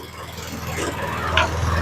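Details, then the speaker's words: John Deere JS20 mower after a new GX22269 drive belt, rear cover off: the engine runs steady and even, pulling cleanly under drive load; it takes off fast even on full turtle because the new belt is tight. "she's going to be more rabbit than not when she first starts only because the belt's tight because it's brand new but the way the transmission works on this that's okay"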